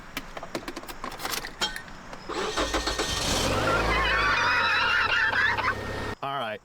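Handling clatter, then the starter cranks briefly and the engine catches cleanly into a steady idle; a normal, healthy start.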